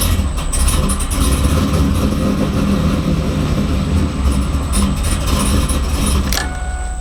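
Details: Freshly built LS V8 in 2002 Camaro SS, second start after VATS security bypassed via HP Tuners to cure no-start: catches promptly, steady even low rumble, no stumble or knock; healthy.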